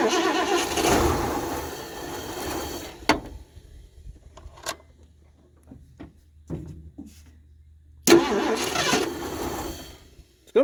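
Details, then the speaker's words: 1978 Mercury Marquis Brougham 400 parts car, long stored, fed from a gas can with the choke sticking: repeated cranking, it catches and roars briefly, then sputters out; the owner fears the fuel pump isn't picking up gas. Sputtering start, engine dies. "if it picks up gas I really don't want to have to go buy a fuel pump I think this thing's been sitting a lot longer than they said off here doesn't do any good to pump it and the choke stuck again"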